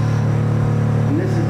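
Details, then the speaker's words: Shower running: steady low droning hum from the pipes, pitch shifting slightly. Speaker calls it water hammer and suspects the cold water supply, cause not confirmed. Pipe vibration hum. "I turn it on the shower you can kind of hear the pitch change and this ladies and gentlemen a prime example of West called water hammer"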